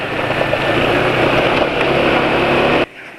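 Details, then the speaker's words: Engine at idle after switching to Meditran SX Ultra GLE oil, previously Mesran with additive; front-of-engine ticking now gone, smooth even run with no clatter, quieter than before: normal idle. "kali ini sudah pakai oli Meditran se Ultra GLX ternyata suaranya lebih Hening daripada kemarin kemarin pakai meteran terus campuran KCL 20% 1 sgr 2 sachet lebih senyap ya suara kletekan depan mesin sekarang sudah Hening"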